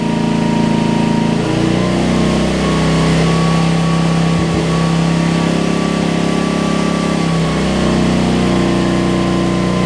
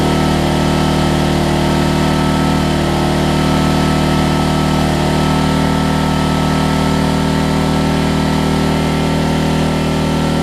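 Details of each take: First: Homelite LR4400 generator after carburetor replacement, running under load: speed sags and recovers twice as the hum drops then climbs; the governor is slightly out of place, making revs race then drop, and needs adjustment. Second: Homelite LR4400 generator after carburetor and kill switch replacement: single-cylinder engine holds a steady, even drone at constant speed with no hunting, misses or knocks; runs cleanly, though the kill switch is not yet grounding it out.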